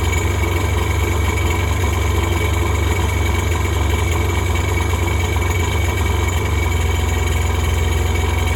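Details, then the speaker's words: Revived Polaris jet ski two-stroke with Ficht direct injection holds a steady, even idle and won't shut off; owner says it needs a new start/stop module, and it only died after both plug wires were pulled. "it would not shut off I got to get get a new start stop module on it"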